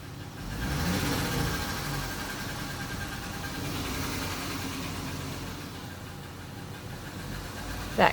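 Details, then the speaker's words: 2015 Dodge Challenger V8 revved then held, with a light, quick clicking over the engine rumble: lifter tick, present for a year; dealer quoted a costly fix, owner calls it a common Challenger problem. "But the thing I want to point out is the lifter tick. Do you hear it? This is a common problem for Challengers."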